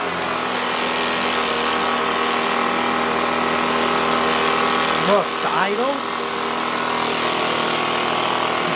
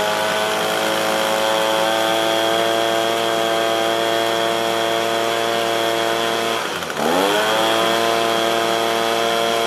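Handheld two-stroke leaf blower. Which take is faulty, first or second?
first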